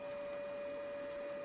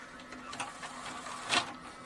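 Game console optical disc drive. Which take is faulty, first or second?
first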